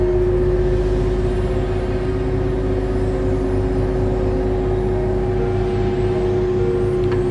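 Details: Hatari fan motor drones loudly with a steady hum and rough low rattle, like a motorbike, caused by a worn motor bushing and shaft; bushing and shaft to be replaced.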